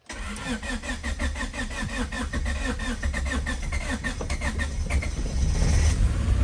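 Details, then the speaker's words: $300 Honda Civic EK hatchback, first start after reconnecting the ground: starter cranks briefly, engine catches and settles into a steady rising idle without misfires, starting right up; normal start and idle. "Holy fuck! It works! That thing started right up, dude. There's no way. Yo, it started. It started."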